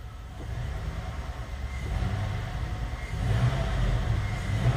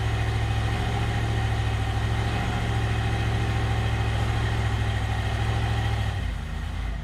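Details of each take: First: GM 5.3L LS V8 swap, free-revving in the garage with the passenger front O2 sensor unplugged: uneven lumpy beat from a dead-cylinder misfire. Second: GM 5.3L LS-swapped Suburban after chasing its dead-cylinder miss, possibly a bad injector or coil connection: smooth, even idle, a short dip then steady, no misses heard, a few still registering on cylinder 6; O2 sensor now switching, running best ever.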